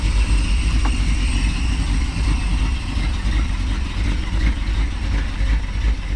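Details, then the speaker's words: 440 V8 Challenger, first start after sitting 15 years: a deep, uneven burble with a loping beat around three per second from a lumpy cam, otherwise running strong and clean. "do you guys hear the way this thing sounded god it sounds good love a global like a bit of a camshaft"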